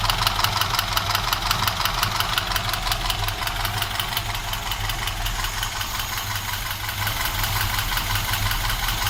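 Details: Moskvich engine at idle: a sharp, regular metallic tapping about three times a second rides over the engine. A knock inside the engine.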